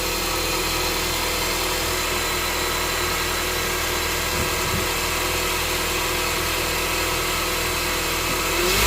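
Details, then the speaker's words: 2022+ Honda Civic 2.0 LX, serpentine belt removed to check for an engine noise after crank pulley work. Steady idle with no ticking or squeal, then revs climb smoothly and the noise is absent. Normal revving. "Wasn't good? Seems okay, bro. Seems good to me."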